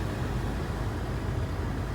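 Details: GM blower after replacing the blower control module, cold day, fan on high, set to hot: smooth, steady rush of air with a low even hum and no whine or ticking; the blower is running normally.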